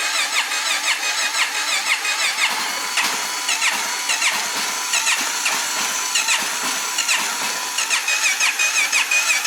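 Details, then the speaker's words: 1997 Honda XR650L cranks over with a thin, high starter whir and uneven chugging beats at full choke but never fires; gas smells varnished, petcock has no filter and no inline filter, owner suspects fuel starvation or carburetor. "it's got enough power to crank it over if everything was going right"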